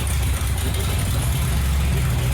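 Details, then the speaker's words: 1928 hot rod with a new Braille AGM battery, charging at 14.5 V, on a quarter tank of last year's gas, idle turned down: deep, low, slightly lumpy idle with small dips, running rich and close to dying; cause unclear. "Sounds good. All right. You got it idle down. Maybe it won't die."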